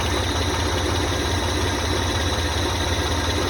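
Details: 1985 Ford Ranger first start after an engine teardown, cam bearing drilled for head oiling, distributor timing set to about 8–9 degrees: low, steady idle with an even beat and no knocks or misses; oil pressure good.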